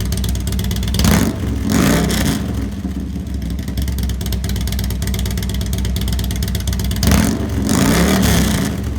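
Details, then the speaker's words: Harley-Davidson after Feuling 525 Reaper cam kit install with new cam bearings, lifters, high-pressure oil pump: deep lumpy twin rumble through two clean rev blips settling back, no ticking or clatter; normal running. "There's Dave, happy owner, brand new cam set. Sounds good."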